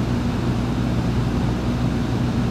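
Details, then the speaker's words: 1971 Kenwood KR-6170 receiver, guitar input at full gain with signal generator connected: constant loud hiss over a low hum, like a day at the beach; suspected bad transistors, not confirmed. Excessive amplifier hiss. "okay it sounds like a day at the beach and i don't mean that in a good way do you hear all that hissing"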